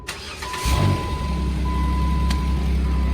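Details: 2007 Jeep Wrangler 3.8L that had a crank-no-start from a fuel problem (it ran on propane), after fueling and priming: a short crank, then it catches quickly and settles into a steady, even idle. This is a normal start.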